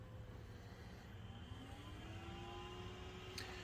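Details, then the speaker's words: BenQ HT1075 DLP projector under repair for no power, first power-up after reassembly: quiet fan hiss and a thin whine climbing as the color wheel spins up. Fans and wheel run normally, but the lamp does not light. "See, green and yellow. Let's see what happens. Hey, color wheel came on."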